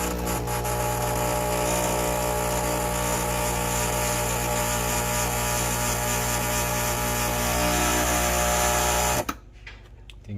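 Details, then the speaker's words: Breville Barista Express espresso machine, single shot before solenoid replacement: a loud harsh buzz with a fast pulsing rattle, about four per second, stopping abruptly; noise when brewing is the first symptom of a failing solenoid. "you will hear a lot of noise when you press the single cup or Double Cup button it will make some strange noise that that is the first symptom"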